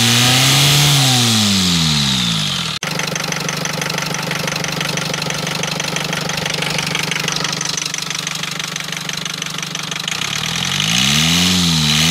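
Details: Rover diesel engine idling with a crisp, regular knock about four per second that rises and falls with the revs. Knocking noise; cause not pinned down.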